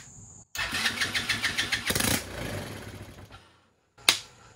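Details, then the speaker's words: Rebuilt TaoTao ATA110 110cc ATV engine with fuel dribbled into the intake, before the carburetor is fitted: fires about four times a second for a couple of seconds, then stumbles and dies; it starts and runs briefly. "let's dribble a little bit of fuel down and see if it'll pop off"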